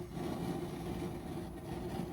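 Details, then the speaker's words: Weber Genesis II GS4 propane grill after replacing a bad regulator that caused loud hissing: burners running, two full and centre low, soft even low rush of gas with no hissing or surging, blue flame; normal burner operation. "There it is, nice and quiet. I wish you would have heard the hissing before, but nice blue flame over there where it's turned up, and even in the center."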